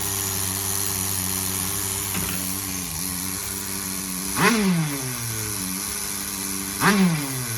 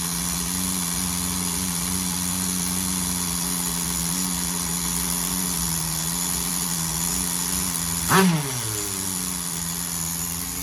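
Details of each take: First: Tamiya TGS-R nitro RC car with a rebuilt engine (new rod, piston, sleeve and pin) on 15% fuel, at first fire-up: a steady high-pitched idle with two clean throttle blips. It is running too hot, the idle is set somewhat high and the high end is possibly lean. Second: Tamiya TGS-R nitro RC car with a rebuilt engine on its first break-in tank, tuned very rich to keep the temperature down. It holds a steady, slightly soft buzzing idle with one quick throttle blip.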